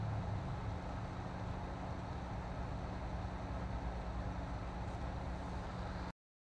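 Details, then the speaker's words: PC power supply after repair of a fan that made a grinding noise: steady soft whoosh of air with faint low hum, no grinding or rattle; fan now running normally. "I can hear the air sucking in and coming out just a normal noise that comes with the pressure of the air but there's no more grinding noise anything like that"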